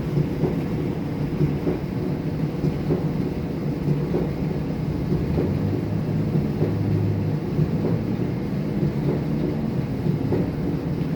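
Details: Kenmore 70 series dryer running: low rumble with a dull thump repeating somewhat unevenly, a little under once a second; owner suspects bad tub or bad rollers.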